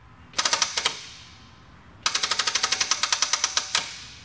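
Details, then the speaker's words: 1964 Triumph TR4 race car, first start attempt after storage, fuel pump running: about twenty rapid starter solenoid clicks, no cranking; battery flat despite being on charger, jump pack then fitted. "the starter just clicked so the battery is completely shut even though I've had it on the charger it won't start the engine"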